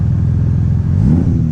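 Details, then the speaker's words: Audi B5 S4 (make inferred from model) misfiring after a 2-step launch: a deep uneven engine note with an irregular stumble under load and a check engine light, running rich then lean on throttle. VCDS traced it to a failed MAP/boost pressure sensor. "but just kind of stumble so it sounds like it might be missing a little bit"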